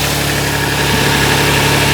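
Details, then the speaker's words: Kia Stinger GTS 3.3t V6, 66,000 miles, stock air intake boxes before an HPS cold air intake: steady, even idle rumble with no knocks, misses or whistles; idling smoothly. "That's how it sounds with the stock."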